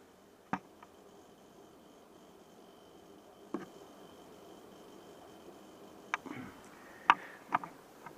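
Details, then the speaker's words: About two-year-old Samsung black stainless refrigerator: faint, steady chirping buzz like many crickets, with a few handling clicks, which started about three weeks ago. Owner attributes it to a bad compressor bearing; Samsung refused warranty repair. "noise is the compressor pump bearing and that started about 3 weeks ago"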